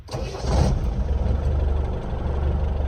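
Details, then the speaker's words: Land Rover Defender 110 diesel after replacing the failed fuel lift pump and re-priming: starter turns briefly, engine catches quickly and settles into an even low idle with no hunting; starts and sounds much better. "nice it works finally [Music] yeah really nice and there we go that sounded a lot better"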